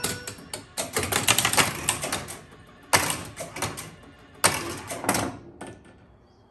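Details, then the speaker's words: 1976 Bally Flip Flop electromechanical pinball, ball drained with double bonus unlit: bursts of quick mechanical chattering from relays and score reels as the end-of-ball bonus scores 13 times for 13,000 points; bonus scoring works normally. "So, go ahead and drain the ball. And you can hear it score 13 times."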